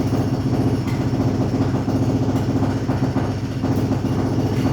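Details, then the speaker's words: Smeg espresso machine after a completed service and tune-up, hot water function test: steady low buzzing pump hum with a rapid, even pulse and no stutter, pushing a steady stream of water; pump working normally. "Then you're going to hear the pump start to pump little bits of water through it. You should get a steady stream like that."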